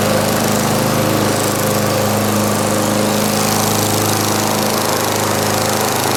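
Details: 1989 Lawn-Boy S21ZPN push mower with replacement 4.5 hp Tecumseh Eager 1 engine (originally 2-cycle 4 hp F-Series), cold start, primed once, throttle about half: steady single-cylinder drone, no misses, knocks or surging; normal running.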